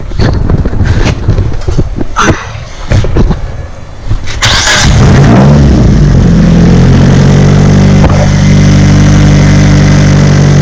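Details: Nissan SR20DET B14 after competition clutch install and oil leak fixes, startup number 3: a few clunks, then it fires and settles into a steady, even idle with no misses or knocks, and no water leak; normal idle.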